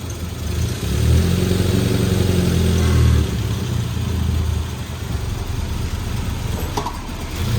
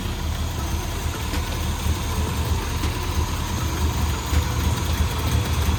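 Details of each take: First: Suzuki Samurai with a swapped 1.6L 16V engine and a new head and gasket: the engine catches and runs with a lumpy, uneven beat that surges and sags, then dies. The owner says the timing wasn't quite right, so it runs rough. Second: Suzuki Samurai with swapped 1.6L 16V engine after new head and head gasket; deep steady low idle, even pulse, no knocks or misses, timing not quite right and it later died; normal idle.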